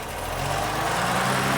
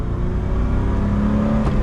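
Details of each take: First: 1979 BMW E12 528i with L-Jetronic and cracked intake boot, idling: steady low idle with constant airy hiss over the top and no misses; possible vacuum leak, not confirmed; clutch fan seemingly stuck on. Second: 1979 BMW E12 528i four-speed, driving with no working brakes: strong, clean pull as the engine revs out through the gear, pitch climbing smoothly with no misses or knocks; healthy engine, surprising power.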